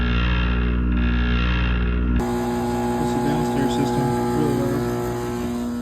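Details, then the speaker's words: Lennox furnace: the inducer motor makes a loud, steady droning hum with a vibrating buzz because its mounting strap is loose; tightening the strap makes it much quieter. "so we tighten the strap that is much better [Music] Flames are going okay we got to fix that noise this is quite loose"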